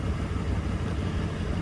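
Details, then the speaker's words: 2011 Ford Crown Victoria ex-police car V8 running: uneven lumpy low rumble with no steady beat, then it dies because the fuel line was pinched; fuel starvation causing rough running and stall. "She's not too happy right now. Oh, actually has died because I pinched the fuel line there. That's on me."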